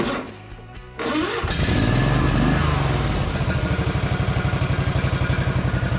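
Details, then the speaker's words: John Deere Z445 zero turn with Kawasaki engine, believed 25 hp, 2876 hours, cranked after priming a dry fuel filter. It catches and settles into an even, quick idle around four pulses a second; not perfectly normal but has power. "it sounds really good now pretty good as you can hear it in the background it's still doesn't sound perfectly normal but it definitely has the power it needs"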